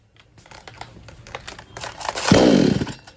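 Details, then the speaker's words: Kisan Kraft / R Yantra 58cc two-stroke chainsaw running premixed petrol with two-stroke oil (20 ml per 500 ml): after handling clicks it bursts into a short rasping rev, then sags and dies within a second on throttle; won't pick up or take load. Weak spark-plug current suspected, unconfirmed. "यह जब machine start करते हैं accelerator press करते हैं तो machine अचानक से बंद हो जाता है पिकअप नहीं बनाता है"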